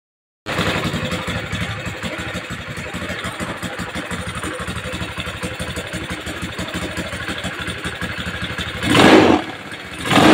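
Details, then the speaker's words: Honda Scoopy carburetor scooter starts and idles with an uneven, stumbling beat, weak acceleration; leaking valves confirmed losing compression. "Iki tak pastike klepe bocor 100%, Pak. Makanya langsame reso stabil, akselerasine kurang, langsam ndak stabil, Pak."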